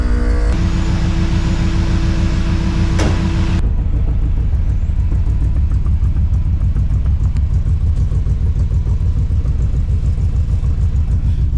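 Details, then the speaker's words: Lowrider project's air suspension compressors (two large tanks) filling, pressure switch around 145 psi, before test drive: steady low drone with even pulsing chug, no squeal or grinding; compressors running normally and should shut off. "Sounds good though. Should shut off. That's a 145 I think I have in there."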